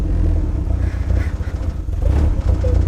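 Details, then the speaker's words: Turbo Nissan S14, fuel pump unplugged, no fuel to rail: low lumpy idle dipping and stumbling irregularly, running on fuel already in the intake or seeping past leaking injectors. "There's no fuel going to the rail at all, and it's idling like half normally. That is the weirdest thing I've ever seen in my life."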